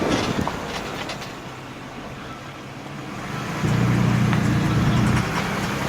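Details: 2003 Ford E150 V6 van running: rough repeating knock plus tinny rattle from loose exhaust heat shield; knock cause unknown, local shops had no clue.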